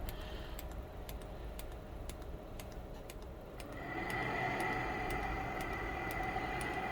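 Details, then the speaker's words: DIY diesel heater with homemade controller during start-up: sharp regular ticks about four per second as fan hum builds; fuel dosing pump running far too quick. "Right, the pump's running far too quick."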